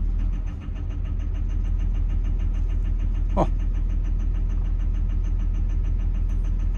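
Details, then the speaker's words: Construction machine diesel with 10,000 hours at idle: sharp, even ticking about three times a second over the idle, with black smoke; cutting number one injector clears the smoke and the knock. Diesel injector knock. "so if I knock off number one if you can hear if I'm quiet all that clears the smoke and the knocking noise goes"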